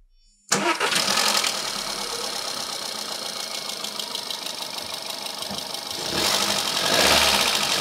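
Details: Volkswagen 1.4 TSI/FSI after replacing a worn timing chain: engine cranks, catches at once and settles to an even, smooth idle with no knock or rattle; noise reduced, to be rechecked cold after a drive.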